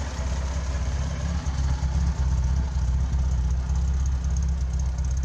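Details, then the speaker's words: 1972 Datsun 240Z, owner-rebuilt Nissan L24 single overhead cam inline six, twin carburetors, naturally aspirated, original components; smooth, even low rumble at steady idle, no misses, knocks or ticks, normal idle. "so let's start her up and see what she sounds like the engine is a nissan l-24 four-stroke spark ignition with two issue carburetors naturally inspired single overhead cam"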